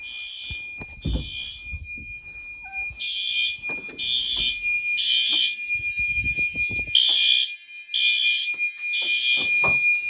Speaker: Yes, that's a horn strobe. You can see the grill.